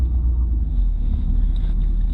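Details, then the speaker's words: Tow truck driving after replacement of brakes, calipers, hoses, steering box and tires. Steady, even low rumble with no thumps or flapping, only a tiny bit of drone, which the owner finds acceptable: normal smooth ride. "it's a tiny bit droney I don't think it's too bad I think it sounds good though I think it sounds real good"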